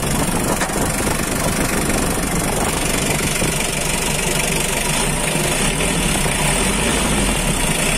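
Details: 2009 Mitsubishi L300 pickup with power steering, diesel, at idle: steady even clatter with a solid low rumble, no misses or surging; sounds like a healthy engine.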